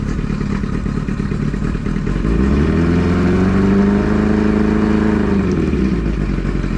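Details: Outboard on a newly bought used bass boat, first run heard since purchase: steady engine note climbing smoothly with throttle and settling back, no misses or knocks; sounds healthy.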